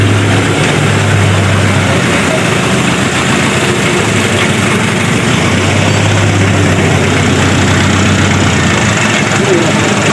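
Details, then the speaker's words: Daihatsu Taft GT diesel after piston overhaul, nozzle and pump set earlier (was limping on cold start, smoking, high fuel use): deep, even idle, smoke disappears when revved, no smoke at oil filler; normal idle. "Nah, ini digas hilang, saat digas hilang. Nah, jadi normal kan."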